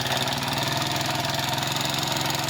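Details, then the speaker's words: Rusi Gala GY6 scooter engine after oil refill and intake valve clearance tune-up: steady idle with fast, even light ticking, quieter than the earlier loud clatter; noise from camshaft and rocker arm damaged by running without oil. "mayroon pa rin siyang tick sound, pero hindi na kagaya kanina, no? Na sobrang lakas ang kalampagan. So yung lagatik na yan galing po doon sa rocker arm at saka doon sa kanyang camshaft, kasi nakita nyo naman may tama na siya, di ba?"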